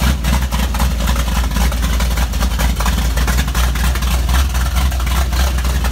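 Heavy, steady low rumble with a lumpy but even beat and no knocks or ticks; freshly built V8 idling healthy.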